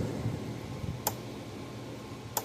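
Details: Gallagher B1600 fence charger on the bench during repair, output measured at about 9,000–10,000 volts. Sharp single ticks about every 1.3 seconds in a quiet room; normal pulsing.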